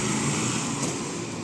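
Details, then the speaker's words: Motorcycle after self-start motor repair with new carbon brushes, running after a successful electric start: small single settles into an even, quick idle with steady firing, no knocks or misses; running as it should. "இப்போ self start பண்ணி வண்டி run பண்ணி பார்க்கலாம். Self start ஆகிடுச்சு."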